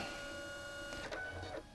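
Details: Canon Selphy CP760 compact photo printer, under repair for a false transfer-cassette-finished error (replacement brass gear), powering up: soft steady motor whirr with quick mechanical ticks as the head cycles; smooth, no grinding or skipping.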